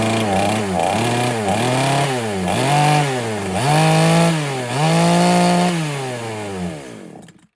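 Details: Foresta chainsaw that would not start, after replacing the worn, loose carburetor needle rocker arm and needle and all the diaphragms: it fires up and blips cleanly about five times, revving up and settling back to idle each time, with crisp, healthy pickup.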